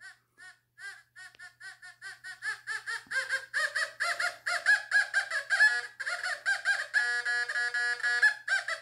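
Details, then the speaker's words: Fisher F44 metal detector air test on a copper Lord's Prayer piece: rapid warbling beeps about two a second grow louder and steadier, response starting around nine inches; clean normal target tone. "so it's getting it around nine inches you'll start to hear something"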